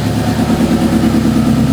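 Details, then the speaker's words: 2009 Subaru WRX swapped from EJ255 to JDM EJ205, warming up at idle: a lumpy, uneven pulsing idle with raw gas smell. It smooths out with throttle. Plugs, coil packs and injectors were changed and compression is good. It misfires. "I swear it looks like it's misfiring but like I said changed all spark plugs I've swap cool packs around"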